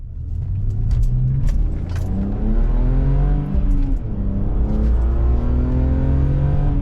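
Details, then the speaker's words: BMW E46 on test drive after welding six-month-old header exhaust leak: clean rising exhaust note through the revs, no ticking or puffing; headers sound sealed, normal exhaust note. "Oh, that sounds so good. I can't tell you how long I've wanted to fix that."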